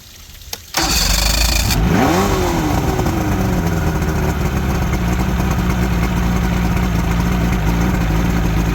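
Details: Outboard on a junkyard Ebb Tide bass boat, run with water supply: quick crank, a rev that falls back, then a steady, somewhat high idle holds; normal running.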